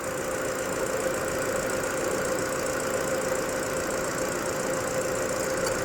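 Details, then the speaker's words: Ford EcoSport at 92,719 km, idling after an AC not-cooling repair with worn parts replaced: an even idle with a faint constant tone. Low side reads 30, high side 200, the compressor cycles on and off normally, and vent air is 5°C at 31°C ambient. "คอมทำงานคอมแอร์ตัดต่อปกติค่ะวัดความเย็นได้ลงมาที่5องศค่ะ"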